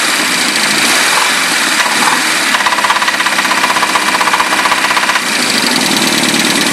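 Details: Nissan 200SX SR20DET at idle; sharp metallic tapping about four per second that disappears when cylinder one's plug is pulled, engine knock, bottom end suspected but not confirmed.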